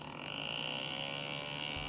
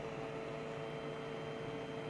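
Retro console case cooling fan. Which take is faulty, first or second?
first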